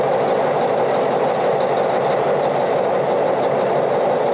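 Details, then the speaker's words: International TD20E bulldozer diesel engine after servicing, oil good, not charging, hour meter and voltmeter not working; steady, even drone with no knocks, misses or surging; normal running. "Alright, so sounds good, oil's good, but still no hour meter and voltmeter."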